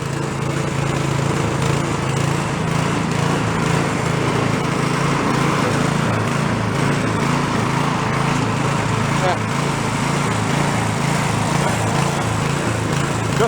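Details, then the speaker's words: Small roadside snow blower running on choke after carb hardware refitted: busy uneven note swelling and sagging, hunting and won't idle; idle circuit not working, likely part of why it runs poorly. "a lot of hunting it won't idle so it doesn't have an idle circuit that's probably a part of what is causing it to run like crap"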